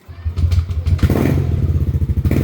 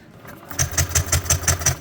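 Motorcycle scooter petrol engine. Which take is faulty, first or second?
second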